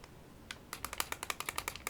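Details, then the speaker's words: VooPoo Drag 3 vape mod shaken with batteries removed: light, sharp clicking about nine times a second from the loose battery door rattling; with batteries in it stays tight and silent. "It is a little bit loose, and I was a little bit skeptical about this battery door being tight as it is with batteries in."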